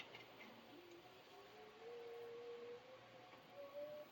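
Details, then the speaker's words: Torqeedo Travel 1103 electric outboard, repaired for E30 error with new parts, seal and grease: faint smooth whine rising as the motor spins up, then steady; normal running. "This is 15.4 foot GNU. It seems to be running good."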